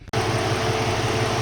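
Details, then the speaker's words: Jeep Cherokee XJ after a 160 amp alternator upgrade and a new serpentine belt: steady, even idle with a soft regular pulse and faint constant belt hum, no knocks or squeal; normal idle. "hope you can hear me over the sound of the engine but everything's pretty much buttoned up"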